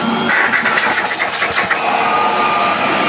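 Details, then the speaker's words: 1934 Electrolux Model 12 vacuum cleaner after refurbishment, motor previously clogged with grease, run on a transformer for 240 V: smooth steady motor and air rush at even pitch; good airflow and suction, running normally. "It is whisper silence. I'm amazed the motor turned before. It was so clagged up with grease and ever so horrible it was."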